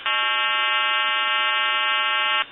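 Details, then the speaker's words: Western Electric 2500 telephone calling a time-and-temperature line: steady buzzing hum at one pitch for over two seconds then cuts off; blamed on the time-and-temperature service's equipment problems, not the phone. "and like earlier, they're having problems with their equipment, so you will hear the recording, and then there will be a hum, and it'll continue."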